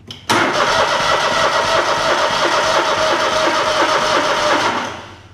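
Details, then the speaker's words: Small engine with a carburetor issue, cranked on another battery during a battery-tester cranking test at 8.87 V: the starter churns steadily and fast for about four and a half seconds but the engine never catches. "that actually won't start because it's got a carb issue."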